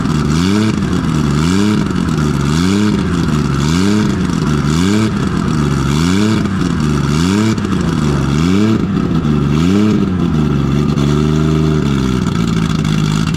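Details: Nissan RB20 drift car after cylinder 5 no-compression repair, traced to a faulty lifter and low-sitting intake valve. Loud open-exhaust six blipped about ten times, rising and falling cleanly with no misfire or stumble, even on all six cylinders. Normal idle and revving.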